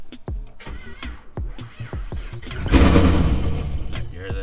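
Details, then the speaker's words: Pontiac G8 on a cold start, before the battery terminals and cable are replaced; it already has a new alternator, starter, battery and crank sensor. Starter drags through slow, laboured turns, about three per second, before catching. Slow crank; owner suspects heat-soak or terminal issues. "hear that? It's like really slow crank."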